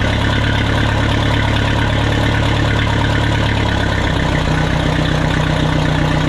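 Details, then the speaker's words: Minneapolis Moline 335 tractor, restored, after advancing the ignition timing a little: even, steady low rumble with no misses or stumbles; normal running. "There, sounds much better after advancing the timing a little bit. Much better."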